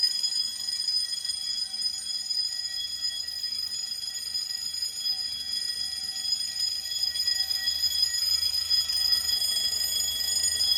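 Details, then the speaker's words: Fire-Lite MS-9200UD fire alarm system activated by a bedroom pull station: loud continuous high-pitched electric bells ring steadily in general alarm, with faint relay clicking from a Simplex Smart Sync control module underneath. "Now, hearing the bells in continuous is cool and all, but I'm gonna actually change the coding option to code 3 once I reset the pull station."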